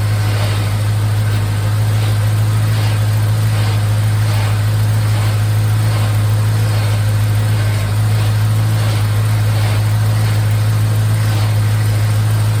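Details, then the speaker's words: 1951 Hudson with a 5.3 LS V8 from an Escalade, on its first start with an eBay swap harness and no MAF sensor, about 40 psi oil pressure at idle: a deep, even burble with no misfire. Power steering works and the engine runs smoothly. "power steering power steering works good sounds good she's running just like it was in the Escalade fantastic"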